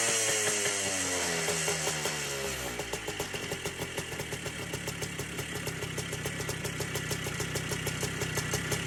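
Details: Three-wheeler ATC two-stroke, seized about half an hour earlier with lots of lubricant put in the top end, started on the first pull after priming: revs drop from a buzzy rise into an even popping idle, firing cleanly with no knock; runs normally.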